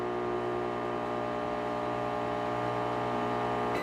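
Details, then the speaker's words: Philco PME25 microwave running: loud, harsh steady buzz and no heating, attributed to a faulty magnetron; turntable motor rotates normally. "E outra ele não tá aquecendo e fazendo um barulho bem alto aí vocês vai est acompanhando aí"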